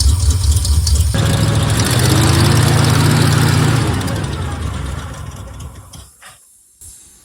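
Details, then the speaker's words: Squarebody Chevy truck after replacing carburetor hoses, now running on its own carburetor: catches after a short crank and settles into a steady, even low idle rumble with no misses; sounds better. "Sounds better."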